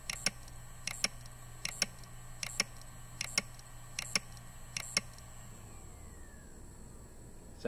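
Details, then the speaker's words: Iomega external drive with Samsung/Barracuda hard drive failing: sharp clicks in pairs about every 0.75 seconds over a faint spin hum, then stopping, before teardown. "when hard drives fail they usually make some noise and sometimes you can see the physical damage"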